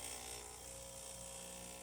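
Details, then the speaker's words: Breville Oracle Touch after a full service with a new gasket, brewing a double shot: pump revs up about 8 seconds after pre-infusion into a steady hiss-edged hum with no surging. Normal pump operation during brew. "The first few seconds, I believe it's the first 6 to 8 seconds, is pre-infusion, and then you'll hear the pump start to rev up around 8 seconds."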